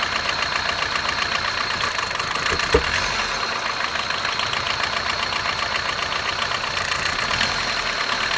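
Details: 2006 Kia Picanto small petrol engine idling at cold start with fast light ticking; owner unsure if intake manifold leak or lifter tick.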